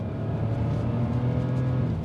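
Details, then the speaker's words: £500 BMW 5 Series with 2.2 L six-cylinder on an open road at full throttle: smooth, even engine note climbing with no misfire, rattle or hesitation; sounds quick but acceleration is modest; healthy engine pulling cleanly. "what's funny about this 2.2 L 6cylinder engine is that it sounds when you boot it like you're making good progress"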